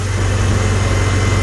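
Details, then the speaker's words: 1955 Farmall Cub after new spark plugs fixed a no-start and rough running. Steady low thumping idle with an even beat, no misses, knocks or stumbles. Smokes slightly, as it has for years. Normal idle. "smoking or not smoking they just run and run and run and run but uh"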